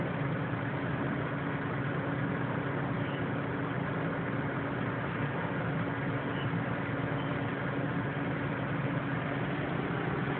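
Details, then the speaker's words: Exhaust fan with a temperature switch running: a steady whoosh of air with a faint, constant low hum and no ticking or scraping; it works as intended and sounds healthy. "she is all working I can hear the fog machines running right now it's working exactly the way I want"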